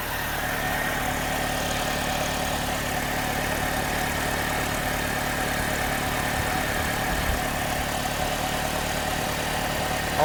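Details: 2009 Pontiac G6 after fixing an exhaust manifold leak on the two-piece manifold: smooth, steady idle with an even low rumble and no ticking or puffing; normal idle after repair.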